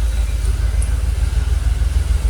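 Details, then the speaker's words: Jaguar XKR, fuel pressure steady at 45 psi so pumps ruled out, idling about 800 rpm: deep, low, even rumble with steady pulses and nothing rattling; smooth idle, though it usually stalls after a few minutes. "Engine actually, to be fair, engine seems pretty happy."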